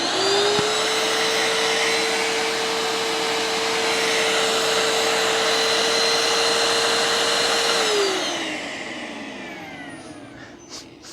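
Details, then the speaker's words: Bissell ProHeat Essential carpet cleaner, likely made in 2017, suspected of leaking, with some smell noticed: a steady, even high whine for about eight seconds, then a smooth wind-down; the motor appears okay. "well I don't know about you but the motor appears to be okay I mean as far as I can tell at the moment"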